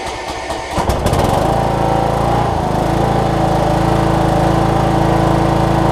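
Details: Cub Cadet riding mower with Kohler Courage single-cylinder engine, after new carb kit fixing a leaky carb: fires within a second and settles into an even, steady beat with no misses; running smoothly.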